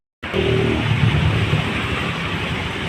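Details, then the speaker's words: Honda Vario carburetor scooter after refilling leaked-out engine oil and raising idle screw: catches and settles into steady even idle, earlier klotok knocking gone. "Oke teman-teman, sudah bisa kita dengarkan ya bunyi suara klotok-klotok yang ada di bagian mesin. Sekarang sudah hilang."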